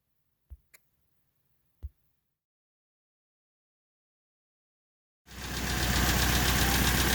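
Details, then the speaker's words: 1990 Honda Civic Si with a swapped D16Y8 on a P28 ECU (OBD0 to OBD1), first start: catches after clicks into a fast, slightly uneven idle; check engine light, code 9. "All right, so the motor is running, but it's throwing a check engine light."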